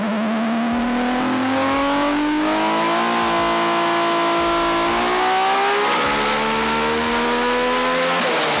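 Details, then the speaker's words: RB-engined race car being tuned: rising scream under load with stumbles and dropouts between pulls; misfire on multiple cylinders, number five dropping out, earlier number four, cause not yet found despite retuning. "You guys have missed fire on multiple cylinders now? Number five just [ __ ] just drops goes right away."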